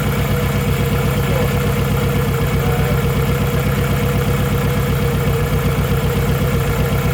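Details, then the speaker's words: Nissan Pulsar GTiR after water pump replacement, first start with coolant refilled, unknown mixture: lumpy, shaky rough idle about four beats a second; cause unknown, possibly too much water in it. "And it sounds rough. Sounds really rough. That sounds really rough."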